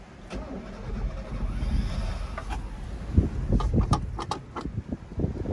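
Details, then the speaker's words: 1983 Mazda B2000, parked since 1993 after a head gasket swap, odometer 074: starter turns the engine over in uneven, labouring bursts but it never catches; cranks normally without starting, cause not yet found. "As you can hear, it cranks over normally."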